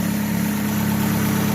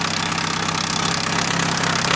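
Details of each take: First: 2015 Chevrolet Aveo idling smoothly after timing belt retensioned: steady low hum, no knock; strange noise was a loose timing belt slapping its cover, not lifters or bearings as another shop claimed. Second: 2015 Chevrolet Aveo petrol engine idling with the timing cover off: a fast, even ticking like lifter noise, actually a loose, detensioned timing belt slapping the cover; another shop had blamed the lifters and possibly the main bearings.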